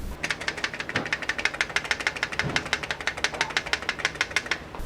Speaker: all of our fog lights come from the factory with a loose fog lamp beam leveler to allow you to adjust the leveling of your fog lights sometimes s the reflector will detach from the hinge which causes the noise you hear